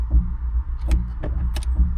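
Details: Customer's car at 72,000 miles, automatic: deep rhythmic thump a little over once a second in second gear and neutral, none in first or reverse, also when accelerating in drive; gearbox suspected, not confirmed.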